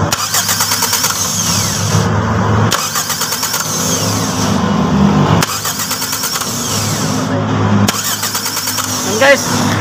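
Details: 1992 Toyota Corolla small body, starter wired directly past the weak key supply to the solenoid: strong, even cranking in long bursts; fault was only clicking due to weak supply from the key, fix is adding a relay.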